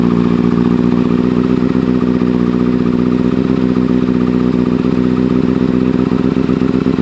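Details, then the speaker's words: 2009 Kawasaki Ninja ZX-6R rebuilt with a new fuel pump and wiring harness after a bad ground burned the harness: a smooth, even hum with a steady pitch and no knocks or rattles. Normal running. "I'm gonna let you hear it because I don't think I ever had a video of it running yet."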